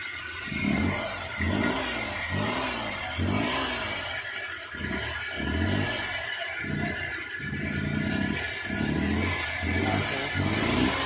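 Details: Suzuki K6A engine in DA63T, manual, with hard starting and engine noise problem; engine blipped about once a second with uneven rough note on each rev; cause unknown.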